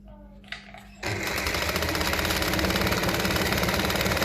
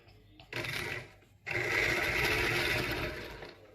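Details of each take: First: Restored 201P sewing machine, re-tensioned, with a new needle, threaded: after a pause it starts into a fast, even stitching clatter. Normal running, fast because the capacitor in the foot control has not been removed. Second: Singer 201P sewing machine, dirty, neglected and just cleaned underneath, run briefly: harsh, rattly mechanical whirr with no clean hum; rough noisy running, likely needing oil in the head.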